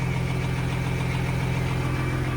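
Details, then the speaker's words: Peterbilt semi truck diesel at steady idle after starting easily on nearly new batteries, where it used to take an hour to start; new air dryer fitted ahead of a planned haul to Kentucky. Deep even drone, no stumbling: normal idle. "all right bra give us some power fire up man this thing starts so much better like guys before we would have been starting this thing for an hour it would took an hour to start"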